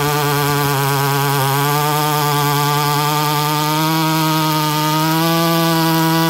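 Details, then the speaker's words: Husqvarna 288XP clone chainsaw, oiler turned up fully yet failing, in the cut: loaded buzzing note creeping slightly higher as the chain drags; chain going dull from oiler failure, owner to try an OEM oiler. "I'm sure you guys can see and hear it change starting to go dull Euler's not doing its job so I'm gonna dig through my spares and see if I have a good OEM Oiler and start from scratch again"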